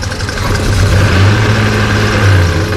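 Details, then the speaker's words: Holden VL single-cylinder misfire: loud, lumpy idle with a missing pulse from cylinder number 2, which has no spark; black exhaust also observed. "no spark on number two engine and look at that anyway we got number two already no spark"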